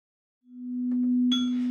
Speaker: this is the sound of a major alarm as the name suggests this alarm goes off when there's a significant problem